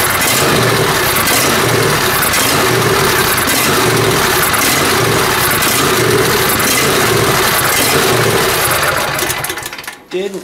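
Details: John Deere Z355R zero-turn mower with Intek engine: speed rises and falls about four times a second instead of holding steady, then the engine shuts off. Hunting; owner suspects an internal carburetor issue.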